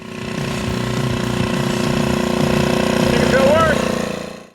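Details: 1981 Honda ATC 110 three-wheeler, revived from a seized engine, smoking less after running a few minutes: small single buzzes at a steady, fairly even pitch, then fades off; healthy, nothing rattling or missing.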